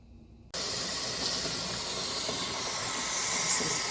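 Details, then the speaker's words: T-Fal 22 qt pressure canner on high, set to vent, canning potatoes; steady even hiss of built-up steam as the 10-minute venting countdown runs before bringing it to 10 lb pressure; normal venting. "You probably can't see it, but it has built up steam, and it is counting down."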